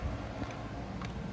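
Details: Honda Shadow bobber project after fitting a new starter solenoid, pressing start: two faint dry clicks half a second apart and no cranking; starter never turns; a fuse had blown and a connector smoked, electrical fault unresolved.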